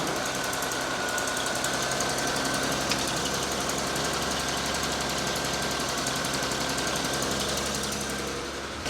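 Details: Land Cruiser after restart with an air leak found: steady idle, smoother than before, with a light quick ticking tied to engine speed still present, maybe slightly quieter; valvetrain tick, source unknown.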